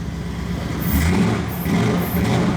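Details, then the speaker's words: 2002 Ford SVT Lightning V8, rebuilt and running without its blower, after the charging connection was plugged in: deep rumble with two clean throttle blips, more responsive than before, no misfire; normal revving. "oh yeah oh yeah it's more responsive now and we don't even have a blower on there"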